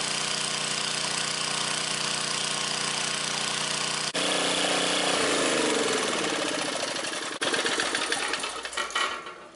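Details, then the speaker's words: Vintage scrapyard generator, guessed late 1970s to early 1980s, after shortening the governor spring hook so it revs higher: steady drone rising and falling slightly before winding down; holds governed speed but hunts a little, owner suspects it needs a carb clean. "She's a little uppy-downy, but she could probably use a carb clean."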